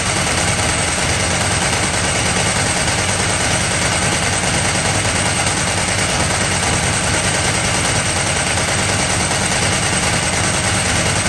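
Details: Ducati 998 Testastretta during a workshop inspection, with diagnostic and synchro testers used: a loud, lumpy twin beat with a dry metallic rattle riding on top at steady revs. Judged normal healthy running.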